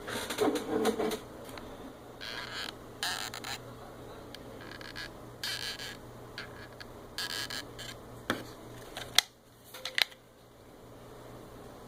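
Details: PS4 controller making irregular sharp clicks and ticks in short bursts with quiet gaps; mechanical clicking inside the controller, cause unknown.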